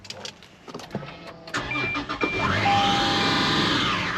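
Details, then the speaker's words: Chrysler 300 SRT8 at auction, sold as run-and-drive, started: engine catches after a few cranks, then a loud screech rises and falls over the idle; suspected pulley dragging under the belt, not confirmed. "you can hear that it sounds like a pulley or something stuck in the belt's going around it"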